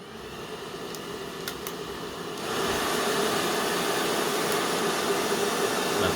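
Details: Cheap 800 W hair dryer after its power cord was replaced with 1.5 mm wire: quiet at first, then it switches on to a steady, even airy whoosh with no rattle or strain; running properly.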